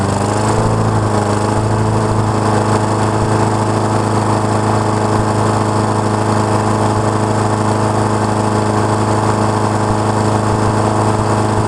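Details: Honda mower after auto choke repair; it had been running rich then shutting off. Warming up at a steady single-cylinder drone with constant pitch and no hunting or stalling: normal running.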